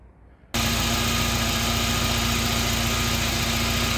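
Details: Engine idling after replacing the drive belt, which had snapped due to a seized idler pulley, plus new pulleys; smooth, even idle with a steady low hum, no ticking, squeal or rattle; running fine.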